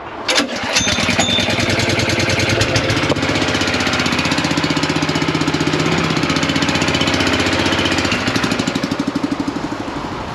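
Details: Machine started from cold on choke during farm machine servicing: catches quickly and settles into a fast, slightly uneven chug, then eases off; starts cleanly and runs fine; normal cold start on choke.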